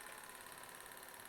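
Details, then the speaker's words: Old Jensen Manufacturing toy steam engine, first run after years unused: quiet, quick, very even chuff with soft hiss, no knocks or stumbles; runs smoothly. "after years and years of not being used it runs like a champ just like it did how cool is that"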